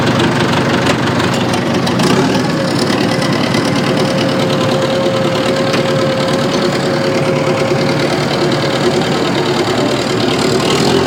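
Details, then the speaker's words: Old bulldozer diesel idling: uneven, lumpy beat with a steady knock-like stumble, running on three cylinders and lacking power in first gear; dead cylinder misfire. "sounds good right it almost sounds like it's missing on one cylinder actually I know it is but I don't see anything telling me that it should be what the hell man that ain't right man it's only running on three cylinders"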